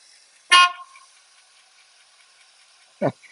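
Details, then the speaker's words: 1967 Lincoln, charging system just fixed and engine running: two brief thin horn toots on a single high note with no second lower tone. Only one horn sounds and the owner thinks something is disconnected underneath. "don't figure out what happened to my horns I think something's disconnected under there only one sounding"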